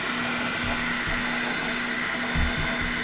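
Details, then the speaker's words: Flashforge Finder Lite 3D printer early in its first print (about 1% done). Steady fan rush under a soft, even motor hum, no knocks or grinding. Normal printing operation. "Noise, yeah, it's kind of noisy as you can hear the fan. I mean, there's a fan, so blowing, keeping it cool."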